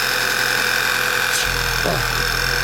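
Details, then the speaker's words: 2011 Volkswagen Passat running poorly, at idle: loud steady sucking whistle with faint whir low down, idle lifting briefly then dropping back as vacuum returns; failed PCV valve causing surging idle. "So you can hear there's a great big suck noise coming out of somewhere. If you listen faintly, you can hear a little whir coming down the bottom there."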